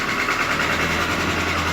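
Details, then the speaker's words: 2017 GAZelle Business with Evotec 2.7 petrol engine, 747 km, factory LPG, break-in on petrol. Even idle with a hard repetitive knock under the valve cover, a click at first; knock felt by hand, cause not found. "В районе клапанной крышки. Сперва был щелчок, и теперь вот такой жесткий тряк. Ставишь руку, чувствуется, как бьет под крышкой."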